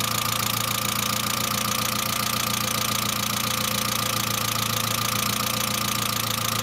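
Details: Saab C900 after engine/head rebuild, smooth idle: steady fast tapping about three and a half per second, valvetrain lifter tick; no oil leaks, pressure lamp off; owner suspects oil pressure relief valve, not vigorously cleaned; return line leak apparently ruled out.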